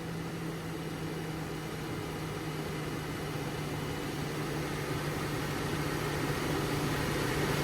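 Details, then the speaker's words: LS-swap project truck engine at idle after revving to about 1500 rpm, steady drone with faint uneven stumble; scanner shows cylinder six misfires return at idle and cylinder four still misfiring. "Number six starting to come back. Starting to have a few misfires in there. There it goes. Starting to count back up on how many it has. Definitely something at idle."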